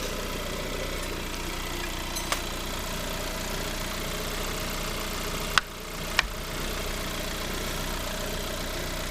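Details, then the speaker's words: Lada Granta 126 engine after full rebuild, two failed hydraulic lifters replaced, belt tensioner clearance fixed, MAF unplugged: even, steady idle without ticking or knocking, only stray handling clicks; engine healthy. "Все работает, ничего не чакает. Все работает, все четко."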